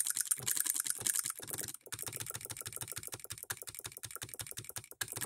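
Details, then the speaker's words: Hand-built Coilmotorworks solenoid hit-and-miss model engine, voltage raised back up, with a load held against it: crisp evenly spaced clicks about five or six a second, no skipped beats, firing every stroke; considerably powerful for its size. "fires every stroke it is considerably powerful for its size and we do have a provision here for a pulley"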